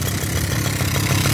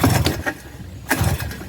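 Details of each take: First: 1984 Suzuki LT50 two-stroke quad revived after sitting outside for years, oil not checked: brisk, crackly little two-stroke idle holding steady and even, with no misses or stumbles. Normal idle. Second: 1984 Suzuki LT50 two-stroke quad that sat outside uncovered for years, with a little choke on: pull-cord strokes about once a second turn it over, but it never fires or catches. Cranks but will not start, before starting fluid is tried.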